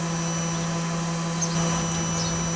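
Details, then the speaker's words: Eberspacher D5W water heater during normal start-up, glow plug on: fan slows to a steady, even hum with constant low tone, no misfires or rattles, before pump clicking and ignition. "it slowed down and here back from the tone of the heater glow plug is now on"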